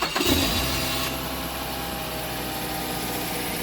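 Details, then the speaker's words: 2006 Mazda 5 with a completely depleted battery, jump-started with a 4000 A jump starter in boost mode. There is a brief starter whirr, then the engine catches quickly and settles into a smooth, steady idle. "2006 Mazda 5 with the completely depleted battery, easy peasy for the GOOLOO A5 4000 amperes jump starter."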